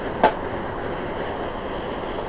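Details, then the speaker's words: Pressurised burner pumped about 20 times: steady, even hiss with one short click near the start, perfect blue flame apart from wind gusts; normal clean-running burner flame. "so there's some pressure in that as you can see that's a perfect blue fly apart from when the wind blows it"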